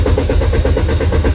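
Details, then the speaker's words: Car that won't start: steady rhythmic starter cranking at about six to seven pulses a second, and the engine never catches. The throttle valve had been replaced and the spark plugs, ignition coils and oil lines checked. The cause is a dirty camshaft position sensor. "This car won't start no matter what. Do you know why?"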